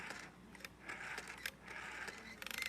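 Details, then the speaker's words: Red AWA PMG 802 rotary telephone: the dial winds round and whirs back with a thin, scratchy squeak on each return; the dial needs cleaning. "you can hear it's kind of squeaky. It's going to need some cleaning."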